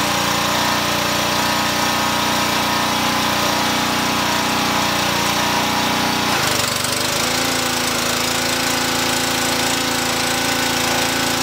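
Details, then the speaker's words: Brute power washer engine, just started with choke then set to run, spraying concrete. Loud, steady drone with a smooth, even pump note that settles slightly lower partway through; healthy running under load. "well that is a serious amount of cleaning power it brightened up that concrete considerably"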